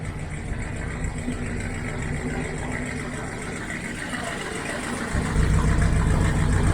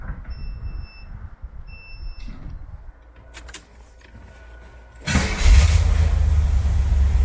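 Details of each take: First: 1972 Corvette C3 V8 at idle with rusted rear mufflers removed, before fitting new ones. Deep, loud, open burble about three to four pulses a second, rising at a blip; loud because rear silencers are missing. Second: 1972 Corvette C3 V8 after fitting new rear mufflers replacing rusted ones. Quiet lead-in, then the engine fires and settles into a deep steady rumble with no rattles or leaks; exhaust sounds healthy.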